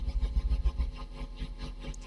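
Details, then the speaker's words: Tube guitar amp after replacing failed resistors: low hum pulsing in regular throb about seven beats a second; tremolo low-frequency oscillator now working though amplitude still not optimal. "okay you can clearly hear that oscillation now the low frequency oscillator is now working"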